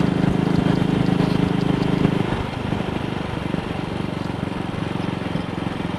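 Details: Single-cylinder motorcycle with Wassell Evolution (Amal Concentric Mk 1 type) carburettor, on a test ride after a twisted, dislodged needle clip was refitted: steady thumping at 45–50 mph indicated under wind and road noise, with no misses. No sign of the earlier misfire so far.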